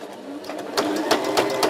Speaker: при шитье машина стучит как что-то цепляет там бьет слышен конкретный звук это неисправность сложновато найти